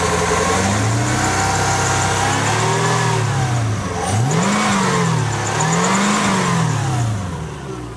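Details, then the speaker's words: 1998 Lexus SC400, no check engine lights: smooth, even revs rising and falling with throttle, no knocking, only a faint belt squeak; engine healthy. "so you can hear it sounds smooth feels smooth no funny noises just a little faint little squeaking from the belt no big deal but no knocking"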